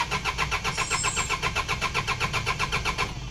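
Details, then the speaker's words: 4D56 diesel cranking no start: steady starter churn at about four compressions a second, turning over evenly but never catching; stop after three tries of three to five seconds to avoid a drained battery, then bleed air from the fuel system. "okay so as you have seen if your engine is not going to start in the first three to five seconds upon ignition and you have tried it at least three times with the same result stop there and pop the bonnet open take a look at what is wrong otherwise you just keep cranking your engine"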